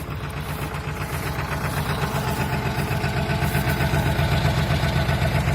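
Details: Ford 7.3 Powerstroke diesel at -35°C after overnight block heater: heavy, lumpy clatter at cold idle, about four uneven knocks a second; rough cold idle with knocking, owner suspects bad injectors.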